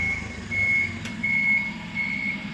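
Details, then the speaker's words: Forklift after-start check, put in reverse to test the warning systems: clear high-pitched reverse beeps repeat evenly about every 0.7 seconds, with the horn also beeping, over a low engine hum. Normal reverse beeper. "We will put the forklift in reverse. You will hear our warning systems going. It also beeps the horn."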